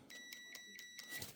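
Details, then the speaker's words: Mac keyboard dead from leaking-battery corrosion: after scraping to expose metal, a continuity test gives short clear high beeps about four per second, then steadier, showing a good connection restored. "And do a continuity test to see if we have a connection there, a good connection. I'm sure previously there probably wasn't. If this doesn't work, then there's obviously something wrong around here. Oh, that's great, look at that actually. Can you hear the beeps?"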